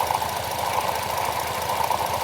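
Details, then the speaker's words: Cadillac SRX4 with check engine light and severe power loss: loping, stumbling, shaky idle showing misfire on cylinders 2, 4 and 6. A clogged catalytic converter on one bank is suspected. "Yeah, this thing is shaking very badly. misfire."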